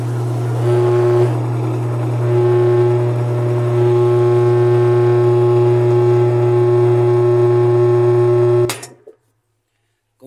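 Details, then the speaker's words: Whirlpool washer that won't spin, agitator removed, spin engaged: steady low motor hum never winding up to spin speed, then cuts off; clothes trapped where the rotted tub gave way bind the nut and jam the tub. "vamos a tener que continuar desarmando para liberar y pueda girar una tuerca que está aquí debajo, que es la que debía de estar girando ahora, pero no gira porque tiene apretado y de ropa que está trabada."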